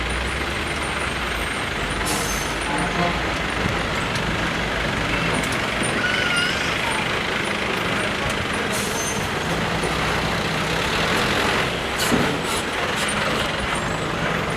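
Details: Running AC bus or AC Tempo Traveller: a steady airy hiss sits over the bus rumble and street traffic; its source is undetermined.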